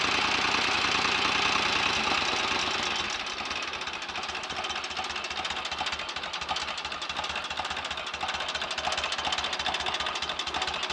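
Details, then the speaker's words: 1930 Royal Enfield 1000 cc Model K V-twin, kickstarted, running to demonstrate the charging system and lights: quick, even mechanical ticking over a steady, loping beat. It idles normally and is fully functional. "beautiful old engine listen to that a better fast swipe with a kickstart would speed that engine up lovely old machine now fully functional with lights and everything very nice"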